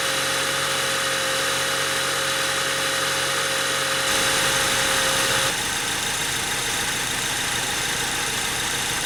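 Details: 2003 Honda Civic EX with P1129 MAP sensor code, rough idle, stalling, limp mode, started cold (MAP 2.69 V key-on): settles into steady even idle with faint fan hum, no knocks or misses; sounds healthy.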